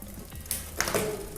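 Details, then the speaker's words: Merida bicycle rear derailleur, clutch after roughly two thousand miles: sharp shifter clicks, then a brief scraping buzz as the cage opens during the shift; clutch needs servicing and hampers shifting. "you hear that first you can hear clicking of the shifter and then that clutch exactly when the cage is opening up"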